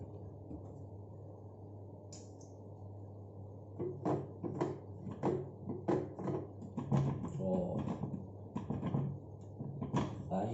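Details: LG washing machine, several years old, low motor hum with irregular heavy clunking during wash agitation; cause found to be a loose nut on the impeller, retightened.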